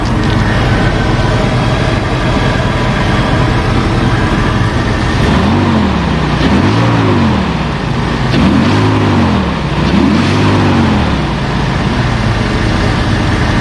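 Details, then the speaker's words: 2005 Jeep Wrangler Unlimited LJ rebuilt stroker engine after replacing failed oil pump drive unit and fitting high-volume oil pump: started first try, good oil pressure, steady even low rumble at smooth idle with no knocks or ticks; normal idle. "good oil pressure everything looks good everything sounds good started right up first try without any issues idling smooth"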